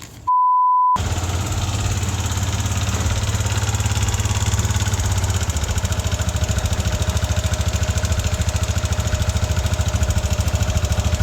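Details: Yamaha NMAX V1 scooter idling: light metallic rattle riding each firing beat, three or four a second, like marbles in the engine; a mechanic called it normal, owner blames a worn exhaust-side rocker arm.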